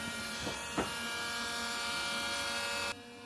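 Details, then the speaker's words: 7.3 diesel fuel system conversion with a Bosch pump (replacement for the 044, possibly larger body and louder): steady high fixed-pitch electric buzz that runs evenly then cuts off; loud but normal, inaudible over the diesel. "so there's the pump you can hear the pump running it's not a big deal you cannot hear it over the diesel so that's not not a problem whatsoever"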